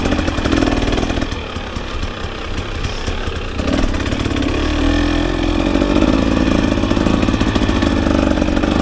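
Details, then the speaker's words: 2024 KTM 300 XC-W two-stroke riding in the woods: blubbers and stutters unevenly below a quarter throttle, then cleans up and pulls hard as revs climb. Rough part-throttle running, cause unknown to the owner. "sure anything below a quarter throttle it just sounds like it does not run right there once you get past quarters probably pulls nice and strong right there"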